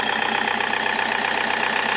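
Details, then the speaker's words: Diesel at normal operating temperature after a stuck glow plug was partly extracted and everything refitted; glow-plug warning light had prompted fault finding. Steady even idle chuff with regular light tick each cycle; owner doesn't understand the odd engine noise, cause unclear. "je comprends pas le bruit moteur il y a une sortie bizarre c'est normal"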